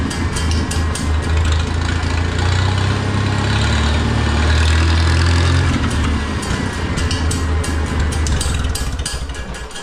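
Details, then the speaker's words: Oliver 66 tractor with a replacement Marvel Schebler TSX carburetor, after fixing lost throttle response in the first notches: a strong, even low drone that swells smoothly as throttled up then eases back, with no stumble; runs healthy. "But now I've got throttle response right after, you know"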